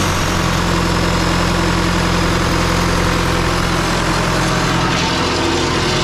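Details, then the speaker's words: Rebuilt John Deere 2020 diesel first run after rebuild, on a jump starter, some fuel leaks: loud steady idle with even rumble, no knocks or misses; started fairly easily, running smoothly. "well that sounds promising started fairly easy actually"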